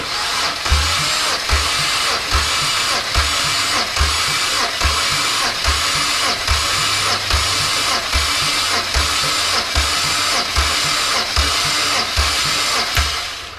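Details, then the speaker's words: Compression test on a removed BMW N54 engine from an E90 335i: even cranking, a little over one beat per second, every stroke the same; cylinder six reads 195 psi, healthy. "so 195 on cylinder 6."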